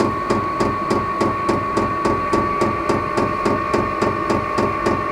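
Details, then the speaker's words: Vevor 12V 5kW diesel heater starting normally from the remote: fuel pump ticks about three and a half times a second over a constant fan hum that increases as it begins combusting. "hear that ticking that's that fuel pump starting to Pump Fuel into it hopefully it'll start combusting here soon and it's increasing a little bit okay it's increasing quite a bit"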